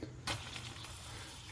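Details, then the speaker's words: Filter housing on a 1969 beach shack water system being depressurised for winter shutdown, pushing the red release button after the compressor was off and the gauge read zero. A short sharp hiss settles into a steady lower hiss as trapped pressure bleeds off. Normal. "Now it's time to pull the filter housing, which needs to be done when the system's not under pressure, so I'm going to push this red button"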